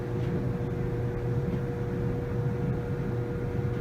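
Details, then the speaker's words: Samsung DV45H7000GW/A2 dryer after a squeaking-noise repair kit was fitted: an even low hum with a faint steady tone and a smoothly turning drum, with no squealing or scraping. Normal running. "we're gonna turn it on just as let's hear how it sounds no squealing feels very smooth all right i think mission accomplished"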